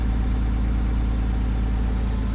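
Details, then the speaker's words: 1998 Porsche Boxster 986, neglected, first start: smooth, even idle with a steady low drone, much less smoke, and the earlier engine tick has stopped; the radiator blew shortly after. "oh it's a lot less Smokey now I wonder why that is bit of a tick coming from the engine wonder why that stopped"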